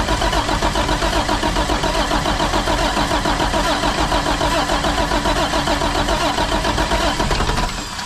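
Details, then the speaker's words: International 4900 diesel bucket truck that sat for 5 years: strong rhythmic cranking at about four beats a second, held steady for eight seconds without firing, during fuel-system bleeding; turns but won't start. "all right we have to try to bleed this but i'm by myself so how can we do this"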